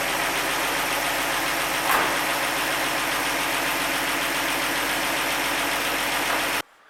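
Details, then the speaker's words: 1948 Chevy 216 stove bolt six, first start since 1989, running warm after valve lash readjusted hot and manifold bolts rechecked; oil pressure present; steady even idle with no tapping or missing beats, engine sounds healthy. "we do have pressure man it runs good rocking out to kansas drinking a dr pepper"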